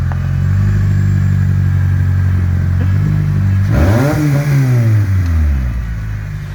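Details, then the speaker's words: Honda CR-V being cut down into a convertible, first start with the rear exhaust removed; loud, raw open-pipe drone at idle, then a sharp rev climbing and falling. "this will be the first start without an exhaust so I'm going to hand you over to Jackson and we'll start it up"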